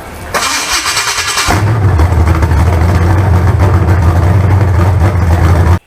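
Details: Freshly built 388 small-block Chevy V8 for a four-door Chevelle, fire-up with timing not yet set; about a second of cranking, then it catches cleanly into a steady, deep, even idle without knocks; healthy.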